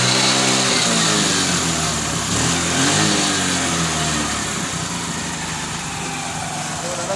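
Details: TVS XL 100 first-model moped, single-cylinder, after replacing a regulator and CDI shorted by a failed magnet coil: steady, even idle beat with no puffing or misses; tuning good, head gasket puffing stopped, starting problem fixed.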